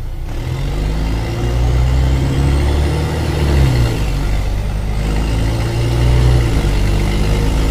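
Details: Loud diesel rumble rising and falling with revs, heavy and blatty down low, from the MB O-500MA bus no. 1562 of VB Transportes with a holed exhaust: exhaust leak.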